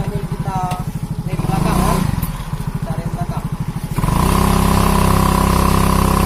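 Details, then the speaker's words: Automatic scooter after CVT repair for weak climbing and squeal under load, test with rear wheel spinning: single-cylinder putter rises to a smooth, even rev with no squeal or slipping whine; fault cured. "belakang itu tidak ada lagi bunyi teman-teman Oke sudah tidak ada lagi bunyinya"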